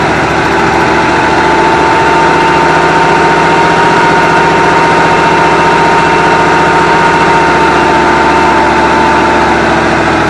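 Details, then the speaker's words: Long-sitting 1974 Avanti V8 revived after checking spark and adding fuel: it catches and runs briefly at a low, slightly uneven idle with a faint whine and sounds weak. It seems to fire on all eight cylinders but won't hold an idle yet. "all right as you've seen I got the car to start up and run we're gonna see if we can get to run a little longer it didn't like that well we know it runs it seems to be running around all eight cylinders which is good"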